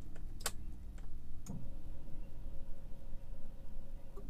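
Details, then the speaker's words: Manual-transmission car at key-on, during a lesson: a few clicks, then a faint steady buzz for about three seconds that cuts off before cranking; wait for this injection sound to stop before starting; normal fuel pump priming at key-on. "Biarkan suara injeksinya mati dulu, baru kita putar lagi."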